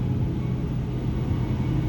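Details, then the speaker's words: 2009 Ford 6.4L Powerstroke diesel, about 124,000 miles, with non-OEM thermostat and fan clutch fitted; held at 2000 rpm, steady fan roar stays on far too long before easing; fan clutch slow to disengage. "this is staying on way longer than i would expect so i'm still at 2 000 rpm wow all right so i mean that's definitely saying to me that there's got to be something going on with the fan clutch"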